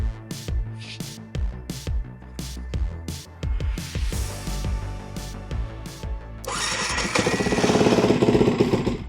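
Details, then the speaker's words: Yamaha WR125 bought as unknown bike with suspected wiring fault, started by bypassing the faulty button: small single catches first try, busy even beat, loud exhaust; normal start, runs smooth. "They started up. It started straight up, so that's good. And it doesn't sound that bad."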